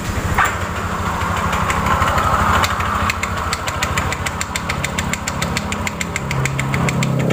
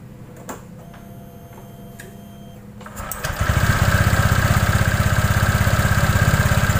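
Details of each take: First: Honda Vario scooter CVT at idle: a loose, irregular clatter of about three knocks a second from the rear transmission, caused by a damaged drive belt and a failed rear pulley bearing due to a worn roller housing. Worn CVT belt and pulley bearing. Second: Honda Vario scooter CVT after replacing a damaged drive belt and a failed rear pulley bearing caused by a worn roller housing: the engine settles into a steady, even chug of about four beats a second with no clunks, squeaks or grinding.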